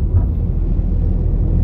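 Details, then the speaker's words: Ford EcoSport diesel after engine repair, warmed by half-hour idle, on test drive: smooth even low rumble under way, earlier engine noises gone, steady road and engine drone; engine healthy, some suspension noise noted separately. "দেখতেই পারছেন গাড়িতে আগে যারা সব sound ছিল গাড়িটা করে sound ছিল এখন সেসব কোন সাউন্ড নেই।"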